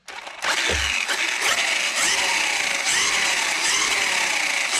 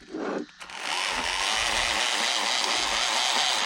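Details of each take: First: Hosim X07 RC truck after replacing a broken rear differential with a factory part, on a 2S battery: a clean high motor whine that climbs smoothly and holds under revs, with no clicking or grinding. The drivetrain is healthy. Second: Hosim X07 RC truck on a 2S 5200 mAh pack after a diff repair, motor rotation reversed: harsh, steady gritty grinding over the whining motor, unchanged throughout. A screw caught in the diff gears, overtightened.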